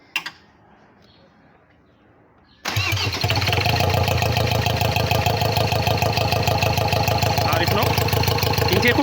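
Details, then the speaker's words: Ford Ranger 2.2 TDCi diesel after engine rebuild, first test start without coolant: catches at once into loud, steady idle clatter, louder because the intake is open; normal diesel start. "ክፍት ስለሆነ ነው ድምፁ በጣም የጎላው። ክፍት ነው። አነሳሱ ቆንጆ ነው።"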